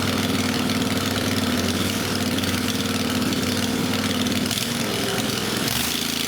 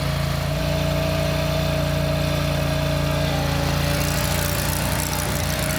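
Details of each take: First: Country Clipper Boss SR1200 zero-turn mower, freshly refilled with gas, oil and coolant, muffler removed to check for coolant leaking into the system: fires and runs with an uneven, lumpy beat and wavering note; rough running. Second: Country Clipper Boss SR1200 zero-turn mower engine, run at full throttle: steady, even drone with a constant low pulse and no misses, knocks or surges; runs healthy.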